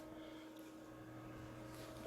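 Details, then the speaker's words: Inverter on a 176 amp-hour battery bank running part of a house, including a freezer and water dispenser, in a load test: low, steady electrical hum with a soft even whir. Inverter cooling fan running normally under load. "And this little guy can do it. You can hear the fan running on the background."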